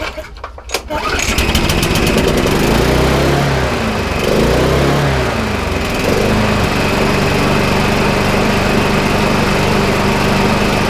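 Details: Lawnmower revived with spare parts after sitting unused, started on slow throttle; brief start cough then steady, even low drone; running normally.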